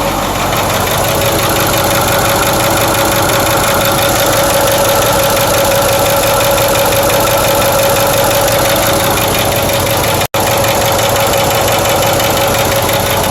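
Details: Ford 6.4 diesel V8 just rebuilt, idling: steady fast knock over loud diesel clatter from the rear driver side, slightly louder after about a minute of running; owner worries it is a bearing or lifter. Cause suspected, not confirmed.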